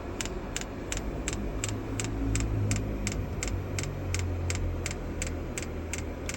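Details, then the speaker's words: HCALORY 8kW diesel heater, first start-up on H10 hottest mode: sharp even clicks at almost three per second over a low hum as the fuel pump primes the fuel line; normal initial priming. "You can hear the ticking. It's not too bad. Fuel's coming round."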